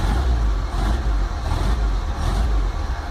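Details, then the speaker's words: VW T25/T3 Devon camper on Weber IDF carbs with no choke, fresh cold start after sitting a couple of weeks: deep note swells and dips with short throttle blips to warm it. It picks up cleanly with no knock or misfire, and the oil and alternator lights are out. "get a bit of heat into it. Obviously oil pressure light, alternator light is out, and that's completely fresh cold start."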